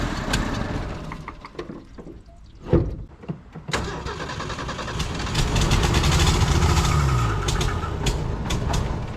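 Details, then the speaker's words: Old carbureted Ford six-cylinder that sat for months, with gas poured down the carb. Scattered clanks and cranking bursts, then it catches and settles into a steady, rough-edged idle. Hard start after long storage. "let me just dump some of that gas down the carb and see if it wants to start before i get this all set up"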